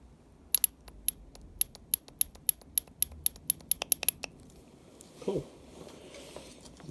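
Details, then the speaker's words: DeLorean Bosch 0280170400 cold start valve, unclogged and powered on the bench: sharp metallic clicks about three a second, then soft hiss of spray; freed valve snapping open cleanly. "i've been trying to see that they're cleaning out the bottom yeah that sounds perfect i don't know if you can hear it or not"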